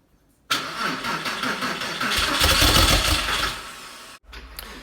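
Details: Porsche 911 (996) first start after a 4-year restoration and engine reinstall: starter cranks evenly about 200 beats a minute for over three seconds and never catches; crank-no-start because the throttle body connector wasn't plugged in properly.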